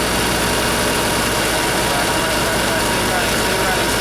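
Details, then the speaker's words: Motorhome (possibly its generator) after fixing bad chassis-battery grounds that caused erratic gauges and dead jacks, owner unsure it would stay running: runs on at steady idle with loud even rumble, no stumbling or cutting out; normal idle. "Let's see if this thing will start up. I don't know if it'll stay running, but better and better."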